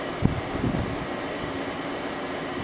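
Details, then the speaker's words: 2001 General Electric Quiet Aire air conditioner, new fan motor bearings, Hero compressor warmed up after about five minutes, fan on high: steady even rush of air with soft low hum, no rattle, squeal or scrape; runs smoothly. "even quiet and high"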